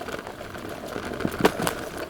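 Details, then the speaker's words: KuKirin G4 electric scooter with 2000W motor, riding over rough terrain: light busy chatter with louder clacks over bumps from cables rattling on the steering bar and something loose rattling at the rear. "As you can hear, it's not the most quiet scooter going over rough terrain, and that's one of the things which I a little bit dislike about it. There is some rattling noise coming from the cables on the steering bar here, and there is something rattling in the back."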